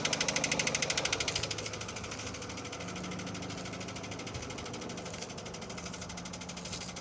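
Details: Renault Scenic 2, K4M 1.6 engine with automatic gearbox, 202,000 km: sharp regular knock about three times a second at idle, coming from low in the engine and appearing as it warms up; cause not yet pinned down.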